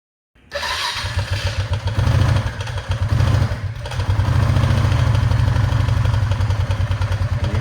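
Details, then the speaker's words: Honda Rubicon ATV single-cylinder engine idling very cold, bike also has a transmission that intermittently locks up: loose, uneven rattle riding each firing pulse, about three per second; worn connecting rod knock. "that rattle coming from my engine that's an issue"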